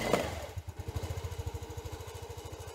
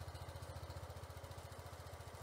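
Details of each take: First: Sym Jet 14 fuel-injected scooter on jump-start box, throttle cable off: single cylinder putters at fast even beat only with throttle slightly open, won't run at closed throttle; owner suspects overheating ECU. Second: Sym Jet 14 fuel-injected scooter after setting a few mm throttle cable play: even steady single-cylinder putter, no hunting; now holds 1000 rpm stable, ECU still suspected.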